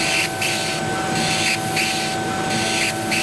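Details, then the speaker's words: Chinese laser cutter doing 3D engraving at power 9/22, speed 50, X swing, 0.25 step interval, fan running: thin steady squeal over fan rush as the head sweeps, a squeaky cut showing low power in the pre-ionization zone. "now I don't think there's any doubt that you can hear that squeaky cut I will just turn the fan [Applause] [Music] off now that is a very noisy cut that tells me that we're working in this pre-ionization Zone"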